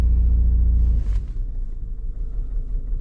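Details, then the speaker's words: 2013 Toyota Corolla with year-long intermittent check-engine light, plugs, coils and injectors reportedly replaced: engine falls from a rev into a lumpy, uneven low rumble with a stumbling beat; cylinder 3 misfire code set, now fully misfiring. "now it's fully misfiring. Let me go scope cylinder number 3."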